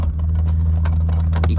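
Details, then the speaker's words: BMW E46 six-cylinder idling still warm with deep uneven beat and brief stumble, check engine light on; misfire with recurring camshaft position sensor code P0340 despite new sensor. "can hear it when it when it stumbles. That misfire. It's basically saying cam shaft position sensor, but I put a good one in there."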